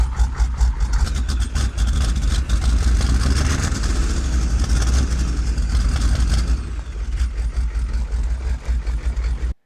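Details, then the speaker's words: 1993 Chevy 2500, turbo 6.5 diesel, just after fitting a used DB2 injection pump, smoking heavily. Deep uneven rumble that surges and stumbles rather than settling. Rough idle from the faulty used injection pump, which later had to be replaced again. "Gonna have to replace the injection pump again. This used one that I threw in that I thought would work alright. Turns out it's got some problems as well."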